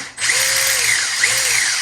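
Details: 1/10 Holden VE SS Ute RC car with a replaced brushless motor and Hobbywing ESC; the belt drives all the wheels. Electric whine rises and falls twice with throttle, smooth with no clicks or grinding; normal belt drive operation.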